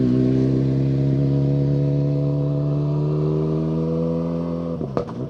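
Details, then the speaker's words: Ford Fiesta World Rally Car passing on asphalt rally stage: strong, clean engine note with pitch sliding down under steady load; normal engine note. "Nice to hear the uh the note of the Fiesta World Rally car as well of Joe's, isn't it?"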